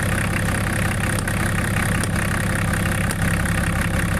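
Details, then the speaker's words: Range Rover P38 diesel with no power, idling around 600 rpm against a 750 target: a low, rough idle whose note changes as the injection pump is tapped back to adjust timing. "And what we're doing is we're just tapping it back, and you hear the note of the engine change as it goes backwards."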